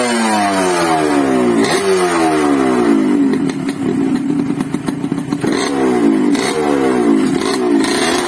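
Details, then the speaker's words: Yamaha RX King two-stroke (year stated as 2006, also as '94), sluggish from overly extreme porting, after re-boring and re-polishing the ports: revs up cleanly and repeatedly, rising crisply and dropping back without bogging; pulls freely, healthy. "Jadi ini dia Suaranya teman-teman setelah saya sopir tadi wow nyuruh ke Saya matikan Oke jadi seperti itu temen-temen kalau kita habis Premier boring kita poles ulang jadi dia lancar"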